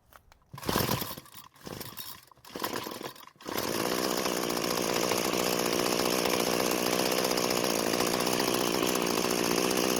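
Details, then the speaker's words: Curbside free two-stroke string trimmer after fuel flow fixed: steady, unchanging idle that never picks up on throttle; throttle cable found disconnected. "so so the throttle doesn't seem to be working and after taking a look around it looks like the throttle cable got disconnected"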